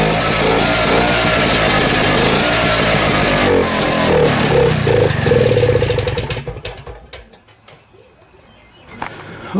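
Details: 1972 Rotax 340 two-stroke for a Tomberlin CrossFire go-kart, running after JB Weld patched a port hole that was spewing gas, before the clutch is fitted. It runs with a steady buzzing note for several seconds, then winds down and dies away; normal.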